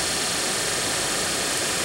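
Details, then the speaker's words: Daewoo Nexia heater blower motor after a brush repair (worn brushes had caused lost speed then failure), bench-run at what is taken to be maximum speed: a smooth, even, steady rushing whir with no ticking or grinding; healthy and blowing well. "и вот так вот в принципе про обороты у нас тут не повышаются я так понимаю это максимальные Ну дует вообще прилично"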